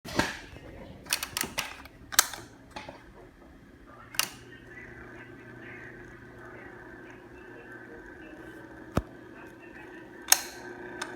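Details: 16-inch 1st Mega Saver (Union) stand fan, bought March 2019: steady low buzz with faint whine under the fan hum, broken by sharp irregular rattling clicks.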